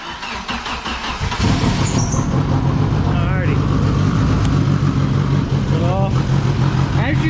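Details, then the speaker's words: Mitsubishi Eclipse GS-T: starts and settles into an uneven, lumpy idle with irregular beat, no rod knock; rough running suspected from a bad tune, possible exhaust leak at a missing bolt causing tinging. "now as you can tell the engine is running kind of rough it's probably because it has a shitty tune on it"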